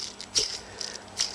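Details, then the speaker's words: Old timing belt tensioner pulley from a Perodua Kenari / Daihatsu Move 1.0 three-cylinder, spun by hand off the engine: a dry, gritty rattle in short bursts as the bearing's grease dries up; not bad yet, but due for replacement. "it's not bad it's it's not um it's not horrendous and it would probably last for um a good few thousand miles but it's certainly drying up you can hear that"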